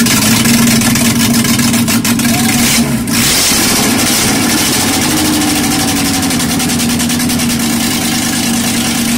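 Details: Peugeot 205 GTI 1.9 F20/14 just after first start following full group A-style rebuild (prepared head, camshaft, balanced bottom end): strong steady note climbs and settles after brief dip, clean and even, no knocks or rattles; normal revving.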